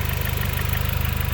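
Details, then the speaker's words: Four-cylinder engine after replacing a dead ignition coil that caused a misfire: low, steady, even idle with no stumbles or knocks; running smoothly. "now it's my car is running smoothly now okay bye everyone"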